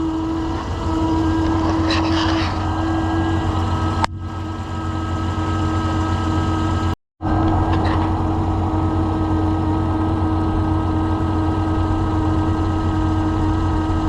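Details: 2015 Chevrolet Suburban whose battery is not charging, idling with the negative cable unhooked, gives a thin steady alternator whine. The alternator casing heats past 250–310 degrees while the engine stays under 100, so the alternator was replaced.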